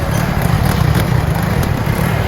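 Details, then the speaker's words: Motorcycle after the old silencer was repaired and refitted: deep, even exhaust burble with no rattle or blowing; exhaust noise problem fixed. "इसको start करते हैं इसकी sound check करते हैं sound में आप देख सकते हैं कितना फर्क आ चुका है"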